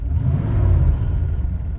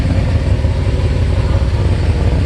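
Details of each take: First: 1988 Mercedes 560SEC, M117 V8, idling at 650 rpm after repairs with some vacuum leaks remaining, accelerating in drive: a deep, even rumble pulling up smoothly with no misses or knocks; healthy and responsive. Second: 1988 Mercedes 560SEC with aftermarket catalytic converters at idle: deep, uneven puffing rumble, louder and rougher than a sealed system; the exhaust is blowing, suspected leaking at a pipe junction, needing repair.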